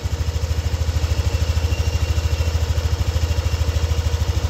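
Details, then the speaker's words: Warm Yamaha NMAX V2 scooter engine at idle after repair, earlier squeak and whistle gone: smooth even low idle pulsing about 2.5 times a second, no rattle or ticking from the side; normal idle. "So mainit na yung makina nito at wala na kaming naririnig na ingay. So wala na yung kanyang langit-ngit. Ah normal na po yung normal na yung kanyang tunog."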